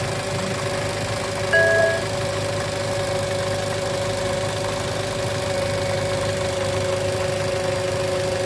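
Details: 2013 Toyota Avanza 1300cc with a complaint of noise at the front pulleys, at idle: constant droning hum that does not come and go. Growl traced to the alternator bearing.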